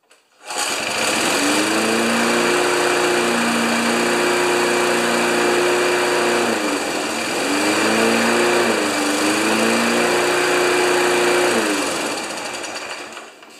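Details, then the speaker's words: Old 1992 Wedgefield Briggs & Stratton Classic walk-behind mower, just started, running with the air filter off: even single-cylinder buzz at steady speed with brief governor dips and recoveries; runs strong and normal. "this is an old machine oh can you believe it even started look at that"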